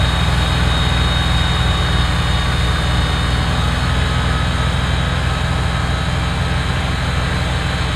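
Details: Kubota BX diesel tractor after fixing cold-weather fuel starvation (suspected gelled fuel): deep, steady diesel rumble holding an even beat under load with no stumbles or knocks; running healthy.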